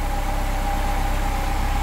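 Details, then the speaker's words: 1998 Mercedes SLK230 R170, M111 Kompressor engine, idling with exchange/cloned ECU fitted (original ECU caused hunting and limp mode): low, even steady hum with no hunting — normal idle after ECU swap. "And when I put back the exchange ECU, it starts working perfectly again."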